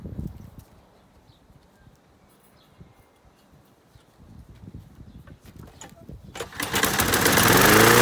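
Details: Masport 21-inch self-propelled mower, Briggs & Stratton Quantum 6hp, first start after new blades, fuel poured into intake: quiet, then catches and climbs to a rising roar never settling to idle; owner suspects throttle jammed wide open on governor side, not carb.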